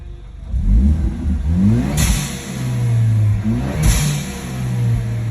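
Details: Engine revving up under load with a low whine rising alongside it on acceleration; the source of the whining noise isn't clear.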